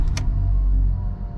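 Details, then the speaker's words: VW Golf 4 idling after catalytic converter replacement and fault code cleared: low, steady rumble with no rasp, rattle or blowing, a clean, quiet exhaust at idle; exhaust now fine. "donc on va changer l'internât tort conclut gilles fauré ça dans une vidéo en france devant la voiture fait plus de bruit l'échappement est nickel"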